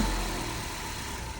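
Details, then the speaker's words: 2013 Ford Focus started on a jump box: short burst of the engine ticking over at an even, steady idle with no knocks or misses, sounding healthy. "engine sound really good on this one as you can hear"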